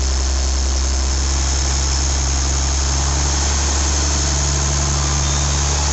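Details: IH 5288 tractor diesel at first start after finishing touches, injector lines bled with fuel to at least four: even, steady low idle rumble with no knocks, misses or rattles, better than in years; normal idle.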